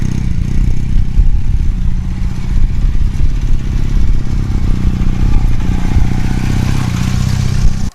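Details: 1981 Honda CM400C twin motorcycle, needing some repairs, started for a listen: steady, even low putter idle with no knocks or misses; engine sounds healthy.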